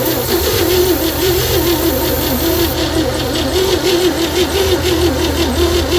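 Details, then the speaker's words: 1960 Chevy C10 235 six after 40 years sitting, booster pack plus battery charger for faster cranking: starter grinds with wavering pitch and ragged firing that never catches; misfiring while cranking, owner suspects very weak compression. "Well, it's trying to fire. I think our compression is just so weak."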